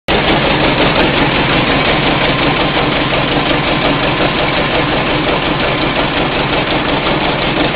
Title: Generator running slow and making a weird noise